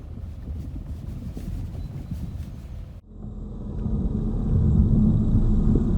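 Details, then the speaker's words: Lada Vesta Cross driving over bumps, recorder placed to listen, after shock absorbers replaced (left earlier, right under warranty): only road rumble and tyre thump, knocks gone; shock absorber was the cause. "для себя мы сделали вывод что всему виной оказался амортизатор соответственно слева мы поменяли слева стуки вот эти дурацкие пропали"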